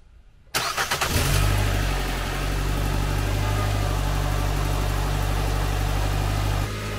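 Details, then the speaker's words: Nissan Sentra rebuild, tune-up done: after crank it settles into a steady fast idle with a light rapid tick underneath. Suspected slight exhaust leak at a spring-held flange donut gasket. Ticking at cold start. "still believe we have a slight exhaust leak I think is it one of those flanges that have like a donut gasket the only thing that holds them is Springs"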